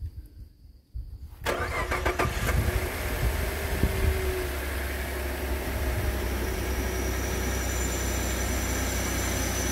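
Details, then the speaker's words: 2013 Ford F-150 3.5 EcoBoost FX4 starting with water temporarily in the cooling system: starter whirs, the engine catches and settles to a steady, even idle; it ran rough for a minute or two, then well. "it was running a little rough when I when I started it for like a minute or two and then was running good"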